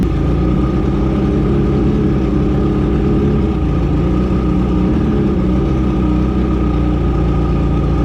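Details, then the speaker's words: 1985 Mercury outboard after carb rebuild, mixture (fuel-air) screws turned fully in: steady two-stroke drone with no rise in revs as it leans out and chokes off toward stalling; then backed out to a turn and a half. "Alright, so I went all the way in. You can see it choke the engine off, so I'm just going to fire it back up."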